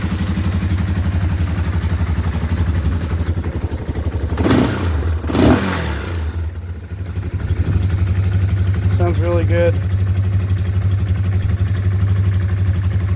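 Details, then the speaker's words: 1987/88 Yamaha Warrior 350 ATV restored after marketplace purchase: single cylinder fires right up and settles into steady, even low thump with no knocks or misses; normal running. "So, I'd say this one's ready to go. Fires right up."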